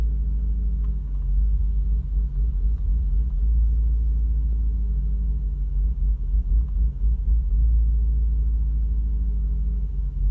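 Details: Audi RS6 C5 V8, warm restart: lumpy uneven idle for about a minute then normal; cold starts fine. Coolant and oil temperature sensors, fuel filter and plugs replaced, no warning light.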